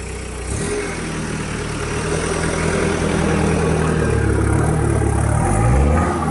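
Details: Steady low diesel idle on the first cold start after a rebuild with fuel hoses redone and a full service: an even beat that climbs slightly as it settles, turbo audible, no knocks or rattles. The engine runs cleanly cold.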